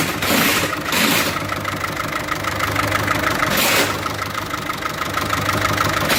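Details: Diesel 1.6 HDi with a faulty injector, running very badly and smoking; uneven clatter with a stumbling, surging idle; rough running from one bad injector, fixed by replacing that injector.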